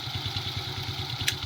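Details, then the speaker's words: Smash 115 with a Wave 100 carburetor conversion, stock mixture: quick, even idle pulses with no misses or hunting; clean normal idle. "One flick mga idol. Ang ganda ng minor niya."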